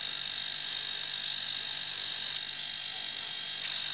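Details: Steady, even electric hum with a thin high buzz and no knocking or rattling from a homemade compressor built from a refrigerator compressor motor while it fills a car tire. Normal running.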